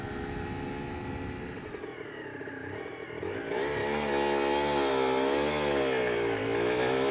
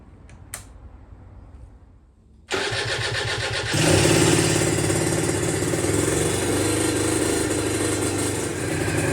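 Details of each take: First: Aprilia RS125 1990s two-stroke (Harada replica project) on first road ride through town: revs swell and wander without a steady pull, meow-like clutch slip. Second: Aprilia RS125 1990s two-stroke on temporary battery after coolant leak repair, with new air filter and modified airbox: fires and crackles into a crisp, even run, rising smoothly on the throttle; running sweet.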